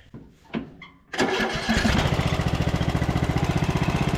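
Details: Long-abandoned MTD Bolens riding mower after carburetor cleaning and new needle and seat: a few slow cranking puffs, then it catches at once and settles into a steady, even beat; clean, healthy start.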